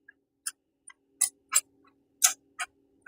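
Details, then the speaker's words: 2012 Scion tC 2AR-FE serpentine belt tensioner: the old, bad tensioner pulley spun by hand gives irregular dry crunching bursts from a worn-out bearing, whereas the new one is silent. "If you ever wonder what that squeak noise is, when you got a bad tensioner pulley, bearings go bad in it. You can hear that squeaking. Shouldn't sound like that."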